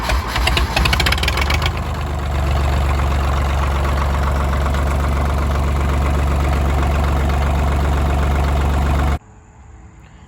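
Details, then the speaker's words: 1985 Ford 1910 tractor (32 hp, 3-cylinder Perkins diesel), found abandoned in the woods and neglected, after a fresh oil change. It catches quickly and settles into a steady, even low chug at idle with no knocking or misses, running quieter with the new oil. "it's running good it runs a little bit quieter I think with the fresh oil on there which is no surprise to me but it's running good"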